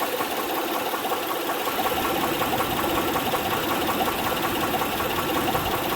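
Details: 2006 Honda Pilot 3.5 L V6 at idle: steady, sharp tapping knock from the top of the engine; spark plugs, timing belt tensioner and injectors ruled out, valve cover off revealed defective camshaft lobe; valvetrain tick from worn camshaft lobe.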